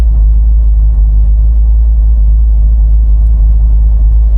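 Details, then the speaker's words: 1964 Buick Electra 225 with a 350 V8 at 89,810 on the gauge, just switch-started for a test drive: deep, steady V8 idle with even firing and no misses or knocks, sounding strong. Normal idle. "As you can hear, that 350 definitely sounds strong."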